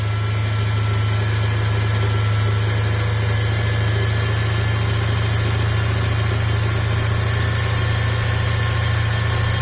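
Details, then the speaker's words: Cadillac Eldorado 507ci V8, first start after a year of storage using starting fluid in the carburetor, warming up: deep, even rumble with no knocks or misses; normal idle. "Oh, that's good. Sounds good. It's running. Let's stay away from it for a bit. Let it warm up."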